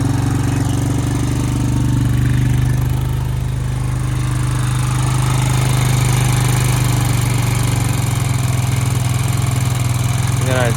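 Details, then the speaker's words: 2002 Honda Rancher ES ATV engine, sat 12+ years, after new battery and carburetor clean: smooth, even single-cylinder idle with steady low thrum and no misses; normal idle, running well. "see like it's running pretty good now it's time to clean it up and go ride it"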